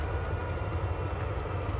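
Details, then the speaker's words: Portable Vevor 8kW diesel heater in a micro-camper van, fan at full speed and full power while heating toward a 17-degree set point: constant low roar and steady drone, no rattle or pulsing. Normal full-power operation. "tially it'll go to full full speed full power once the 17 degrees is reached inside the van and then it will uh it will kick back and run run quite quietly just to maintain that 17 degrees in the van"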